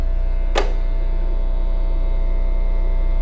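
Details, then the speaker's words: Bass plugged straight into an amplifier feeding the main speakers over a long high-impedance instrument cable: a steady low buzzing mains hum appears when the channel is switched on, with one click; a direct box is used to remove it. "lo que voy a hacer voy a prender el canal Aquí está el parlante pero prendiendo el canal introduce ese ruido si lo"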